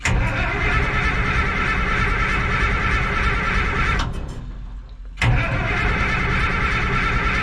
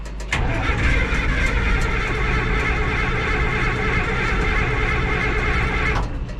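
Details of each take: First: Minneapolis Moline A4T 1600 diesel tractor in neutral on a chilly day, just after fuel filter change (crud and water from tank) and priming: steady, free starter cranking to build oil pressure before fuel is given. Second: Minneapolis Moline A4T 1600 diesel tractor, chilly day, after fuel filter change and priming: heavy steady cranking with fuel on, smoke appearing, not yet catching; a cold diesel struggling to fire.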